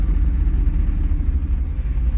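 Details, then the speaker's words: Car that stalls when shifted into reverse despite new fuel filter, injectors and idle air control valve: low idle with a slight uneven wobble, then cuts off. "she says all right she cut off so a it lasted longer but hey I'm getting closer"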